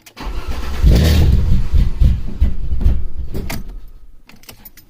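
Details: Alfa Romeo 2.5 V6 start-and-stall: it cranks, catches and flares, then revs sag unevenly and it dies within about three seconds; the cause was intake runners loose at the cylinder head, fixed by tightening them.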